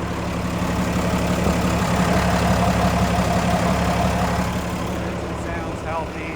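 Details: 2016 Peterbilt 337 maintainer crane service truck: a smooth, even diesel idle with a steady low beat and no knocks or misses, running as it should.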